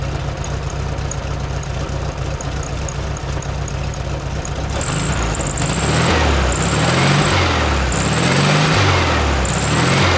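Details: VW Super Beetle air-cooled engine, first start after sitting, fresh gas, oil and new battery, about 55°F, choke off, high elevation: repeated rev blips falling to lumpy idle, blue smoke; owner suspects it is out of tune, burning oil and has compression issues.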